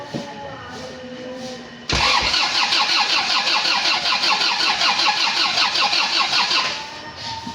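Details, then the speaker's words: 2011 Isuzu Panther LS diesel, first start after engine teardown and reassembly (came in for an oil leak and rough engine noise, pistons found scored), fuel primed and oil refilled: short crank, fires at once, then a steady, even, calm idle with no knock, unlike before. "Kasih gitu. Gas sedikit lepas lepas lepas Mas alhamdulillah suaranya adem nih, Guys. Beda dengan kemarin ya."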